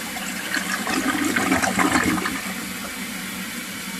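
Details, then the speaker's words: 1958 Canadian Standard Cadet toilet: a gushing flush rises about two seconds, then a steady refill trickle; the flush barely clears and sounds weak, and the owner suspects the rim jets need cleaning. "I don't know about this flush you know get a full flush on the three fill tooth this barely makes it okay"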